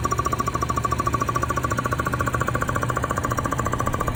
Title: Post chain guide job thumping noise